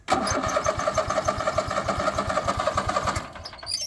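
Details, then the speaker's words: Craftsman Z6400 zero-turn mower after replacing damaged hydro drive belt, keeper and clutch plug refitted, on a trailer: brief crank, then small engine catches and runs with quick, steady, even beat, no squeal or knock; normal start. "so the next step is to crank it up and check and make sure everything's running properly"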